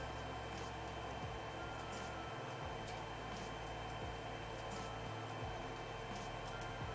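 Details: Creality Ender 3 Z lead screw after applying Super Lube grease, gantry raised and lowered: soft steady motor hum with faint clicks and no squeak, so binding is fixed and travel is smooth.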